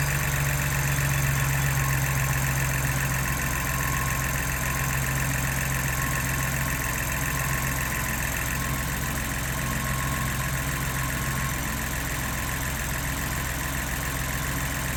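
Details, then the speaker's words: 2022 Ford Bronco Badlands 2.7L EcoBoost, cold start in a garage, hood open: high fast idle with quick light ticking from the injectors and high-pressure fuel pump, plus faint transmission whir; normal cold start noises. "so you can hear a little bit of whirling coming from the transmission and you can also hear that loud ticking we were talking about and some of that's the injectors and some of that is actually the uh high pressure fuel pump"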